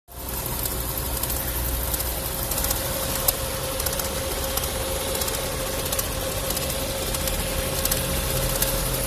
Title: TSI 1.4 BMY - стук, треск цепи? Оказалось - накрывается водяная помпа. Weird noise - faulty pump.